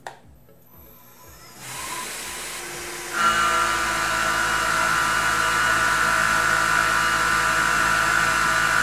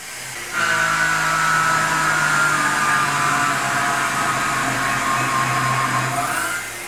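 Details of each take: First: Tormach PCNC 1100 milling aluminum with a 1/2" 3-flute carbide rougher at 3,000 rpm, half-inch depth of cut, 18 in/min (about 3/4 hp): steady, even singing tone with no chatter or bogging; handles the heavy cut normally. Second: Tormach PCNC 1100 cutting aluminum with a 1/2" 3-flute carbide roughing end mill at half-inch depth, 27 in/min, about 1.13 hp: steady high cutting whine sags in pitch as the spindle strains; spindle bogging under heavy cut.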